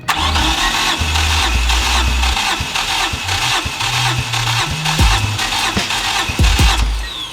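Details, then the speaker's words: Freshly built 4G63T in a mid-engine Eclipse, first start attempt without base timing set (no timing light): the starter churns unevenly with a brief catch or two that never picks up. Crank, no start, because base timing was not set. "guys don't try to start your freshly built motor without setting base timing because you're too lazy to go to the store and buy a new timing light just don't do it"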